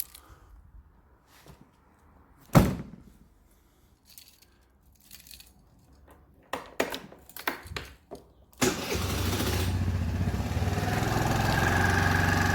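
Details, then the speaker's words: 50cc four-stroke scooter after air filter change and intake modification: clicks and handling, then engine fires and settles into a steady, soft, even purr with a slightly deep, muffled intake note, close to stock sound. "Donc tu vois comme on voit comme on entend ça ronronne mais par contre c'est pas super bruillant."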